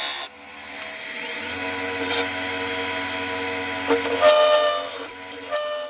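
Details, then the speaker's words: Wood lathe turning a hard yew log into a goblet, spindle gouge cutting into end grain: a harsh buzzing tone rides over the steady spindle hum, heavy vibration. Lathe tool chatter. "you'll notice from the sound that there's an awful lot of vibration going on here uh I'm obviously turning into end grain which is always hard anyway but this U is particularly hard"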